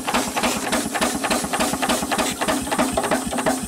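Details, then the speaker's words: Antique steam engine, guessed 1890s–1910s, running on air: steady chuffing beat about three a second with a faint light hammer tap each stroke. Owner suspects a slightly loose rod, to be adjusted. Light knocking. "Got a little noise to it, but it's not terrible. I think it's the rod's a little bit loose. We can adjust it out."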